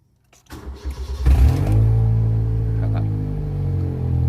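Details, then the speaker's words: 2005 Honda Jazz GD i-DSI with the oxygen sensor removed before replacement: it starts, flares and settles into a loud, deep, blatting idle like a broken pipe from exhaust escaping the open sensor port; check-engine light on, idle unsteady. "พอถอดออกแล้วเนี่ยเวลาเราสตาร์ทเครื่องนี่นะคือเสียงมันจะดังมากเลยนะครับไม่กล้าขับเดี๋ยวสตาร์ทเครื่องให้ดูแล้วก็รอบเครื่องโชว์ยังไงนะครับเสียงดังยังกาท่อขาดเลยนะครับ"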